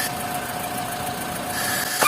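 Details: VW Gol G5/G6 with EA111 engine at idle: steady thin whistling noise from the poly-V serpentine belt, caused by worn pulley rib tips contacting the bottom of the belt grooves; fix is without replacing the pulley, preferably replacing the belt.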